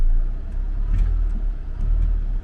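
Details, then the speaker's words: CVT car at an insurance auction, idling in gear with brake held: low steady idle rumble with no whirring or whine over it; transmission sounds normal. "Still worries me about CVT. Put it in gear. See if you hear any whirling noises. This one's not making any."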